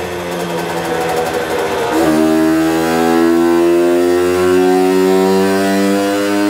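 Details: Herkules Prior K50 moped, 50S 5-speed two-stroke at original displacement, 17 carburettor, original-look resonance exhaust, full throttle on the dyno reaching 7.6 hp (stock 4.5): the buzz climbs smoothly with no stutter, a healthy, well-tuned pull.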